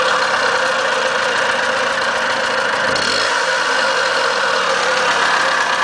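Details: Suspected bad bearing on a ZA50 two-stroke, running at a steady speed: a rough, gravelly buzz over a high-pitched drone; something internal sounds off, cause not confirmed.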